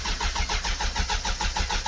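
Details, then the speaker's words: Suzuki Bandit custom project motorcycle, fast even starter chug about seven beats a second, engine never catches despite fuel vapor sprayed into the airbox; cranking no-start, owner plans to pull and clean spark plugs. "now she does not want to start"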